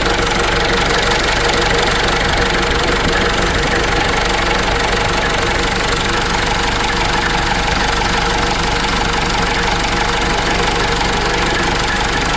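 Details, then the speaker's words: Case 586E with Cummins 4BT diesel, restarted after new oil pickup tube and oil refill: rough idle with loose uneven knock about three per second through the clatter; tapping heard from first start, cause undetermined. "The reason why I said that is you could hear the tapping when I was running this engine at first."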